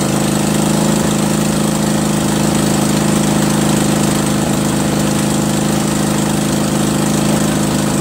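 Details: Craftsman 20.5HP 46" lawn tractor, Kohler Command V-twin, choke off, before carburetor cleaning: loud twin chugs with an uneven rising-and-falling pulse, surging badly at all throttle speeds from a dirty carburetor.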